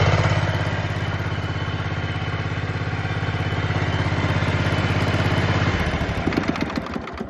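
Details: John Deere Z445 zero-turn mower after melting fuse-box fuses were replaced with inline fuses; steady single-cylinder-style putter at fast idle, no misses or stalling, then winds down — running normally, no longer shutting down.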